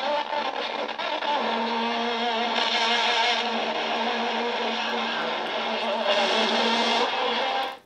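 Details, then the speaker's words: Mini FM radio with built-in speaker and 12 V battery, button now working, earlier giving crackling noise until the aerial was fixed: music plays clean and steady with no crackle or hiss, receiving completely; clear FM reception. "ನೋಡಿ ಕಂಪ್ಲೀಟಾಗಿ ಬರ್ತಾಯಿದೆ. ಇದು ಕಂಪ್ಲೀಟಾಗಿ working ಆಗ್ತಾಯಿದೆ."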